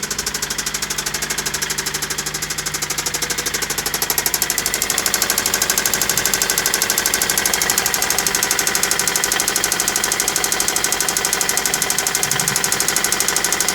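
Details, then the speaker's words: Toyota Celica with newly installed JDM replacement engine idling about 10 minutes, near operating temperature: sharp, even knock about three per second persists; owner says it doesn't sound like carbon buildup and engine needs replacing. "listen to that that doesn't sound like just carbon buildup that engine is knocking"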